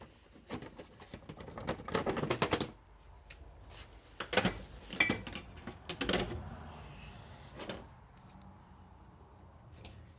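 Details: Yamaha XMAX 125 (2010) scooter with new battery, won't start: irregular bursts of dry rapid clicking, no cranking; cause found to be a bad starter relay.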